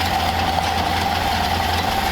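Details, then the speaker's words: 1931 Ford Model A coupe that sat for years with sludgy fuel, after adding a filter and bleeding air from the fuel line, warmed up: a steady four-cylinder idle with an even beat and a constant hum, no stumbles; sounds like a stock Model A. "sounds like a stock Model A so we're going to let this thing run and warm up a little bit"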